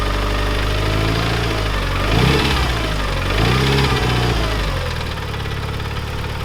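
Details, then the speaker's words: Mitsubishi Lancer Evo 9 bought neglected, engine runs well otherwise: steady idle with a light fast tick about four per second, rising with rev blips; owner 99% sure it is hydraulic lifter tick though lifters were reportedly replaced; tensioner doubted; unconfirmed. "Engine runs absolutely amazing except for that ticking noise. I'm 99% sure it is lifter tick."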